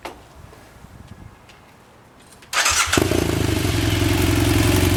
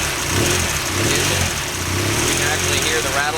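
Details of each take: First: BMW F800 twin, idling just after start: light, busy metallic rattle over fast idle; deflated cam chain tensioner or incorrectly set mechanical adjuster giving slack cam chain. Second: BMW F800 twin after installing a mechanical cam chain tensioner to cure the low-oil-pressure startup rattle, chain slack taken out first. Steady, even idle with no ticking or chain rattle from the timing side; the engine sounds healthy.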